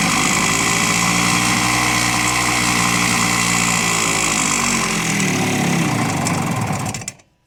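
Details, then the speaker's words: 1970 Suzuki T350 Rebel two-stroke twin, long stored, just started on choke after carb cleaner: raspy idle wavers and sags, dies after about seven seconds; owner unsure the left cylinder is running, suspected dead cylinder. "yeah let's see I don't know if it's running on the left we'll try again"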